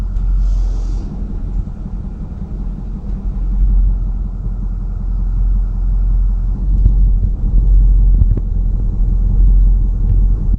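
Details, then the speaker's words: 2008-2010 6.4 Powerstroke diesel: deep idle rumble swelling and sagging, worse the longer it idles in gear, clears with throttle when driving; rough fluctuating idle fixed by replacing the passenger-side fuel rail pressure sensor. "but it only does it at idle it starts to fluctuate quite a bit and it seems like the longer I sit at idle definitely while it's in gear it starts to fluctuate more and more"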